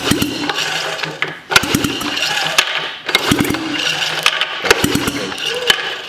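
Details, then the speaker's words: Sachs Wankel KM24 rotary engine (from a 1974 Arctic Cat Lynx snowmobile) after carb cleaning, fuel present: repeated starter cranking with pauses and no firing; cranks but won't start, low compression suspected, compression check next. "fuel there's fuel it doesn't feel like it has a lot of compression though"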